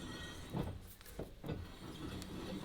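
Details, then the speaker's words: Toyota Supra with swapped 426ci supercharged Hellephant Hemi: wheel turned by hand scrapes and catches metal-on-metal at one spot, nearly locking; aluminum dust falling out, new steering knuckle rubbing against the wheel. "Dude, it's just when the wheel's on. Ooh, that'll do it. That'll do it. That's what's locking us up."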